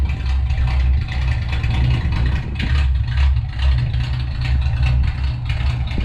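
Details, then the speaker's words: 1962 Ford Falcon, Ford 200 inline six, after oil pan and motor mount work: deep lumpy idle surging and stumbling; rough running, owner suspects tune-up, dirty carburetor or fuel pump. "all right y'all in that case sounds like it needs a maybe needs a tune-up or something i don't know i think the carburetor needs to be cleaned out i think i need to check the fuel pump"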